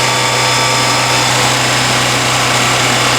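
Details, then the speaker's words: Kohler marine generator after cleaning a sticky choke; steady even drone with constant low hum, no surging or bogging, choke opens properly, runs smoothly. "Now that's cleaned out, the choke opens up fine, generator runs great."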